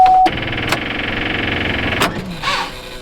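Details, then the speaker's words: Pontiac Grand Prix, key turned: fuel pump hum, then a fast even chatter of clicks with no cranking; starter lacks power, weak battery. "that clicking right there is it basically trying to start but not having enough power to do so."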